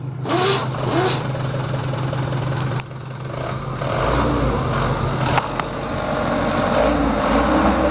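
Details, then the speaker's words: Mitsubishi Canter 110 PS diesel minibus van, factory-standard, about 3,000 km, recently bought second-hand: dull, muffled, flat and rough clatter at idle, then revving and settling; owner wants it smoother, so valves and nozzles get set. "mobil nya baru dapat second dan suaranya itu kurang enak kurang pas masih"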